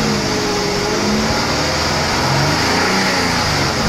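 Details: Infiniti G35 / Nissan VQ35HR engine during a serpentine belt replacement, after a noise thought to be the belt. Steady engine drone at idle and rev with no chirp or squeal from the belt: the belt drive sounds healthy.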